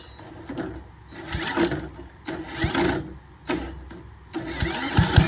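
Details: Boland's 3.5 chipper shredder, unused for at least 20 years, started on its own gas tank without starting fluid, fuel line dripping slightly: small single cranks, catches, surges and dies, then keeps going with an uneven loping beat; now runs on its own fuel.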